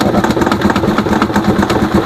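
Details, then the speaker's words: Rusi Chariot 175 motorcycle running: a fast, hollow plastic rattle from the air cleaner housing, which is loose because its bracket came off; it gets very noisy as rpm rises. "Yan po yung ah isang ingay na maririnig natin dito para lang siyang ano parang aon yon yon parang siyang plastic na"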